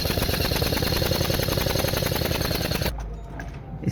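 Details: Toyota Corolla Grande 2016, 1.8 L four-cylinder, misfiring as if one cylinder dead and stalling in gear, coils and plugs tested good: uneven, chattering idle with a broken ticking rhythm; misfire traced to a carbon-clogged fuel injector.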